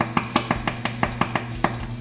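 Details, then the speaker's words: Fender Blues Deluxe Reissue with distorted sound, chopstick test on the tubes while powered: quick taps about five or six a second each leave a short glassy ring; that tube is microphonic and needs replacing. "you want to tap the tubes with something while it's on that's oh that sounds bad that doesn't sound good"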